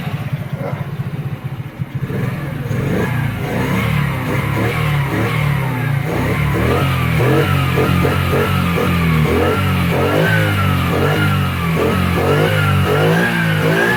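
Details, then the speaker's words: Kazuma Meerkat Chinese quad with Japanese carburetor, after small carburetor screw adjustments: small single revs cleanly through full rev range without pinging or bogging, music over it; carburetor running right. "so you can hear you're getting a full uh rev range [Music] it's not pinging or walking down"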